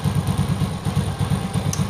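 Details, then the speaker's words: Yamaha Vega R motorcycle stopped in gear with the brake held, before repair: low, lumpy, gritty rumble pulsing about six times a second, smooth in neutral and once the wheel turns; worn one-way clutch bushing. "nah kedengeran ya suaranya Lalu pada saat roda berputar atau motor di bawah Jalan suara itu akan hilang dia halus lagi"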